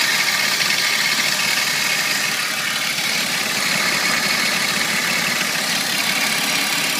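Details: 1998 BMW 328i (E36) engine: dense metallic rattle, really loud with the AC on and also heard when letting up the clutch to accelerate; cause unknown, owner suspects a bearing.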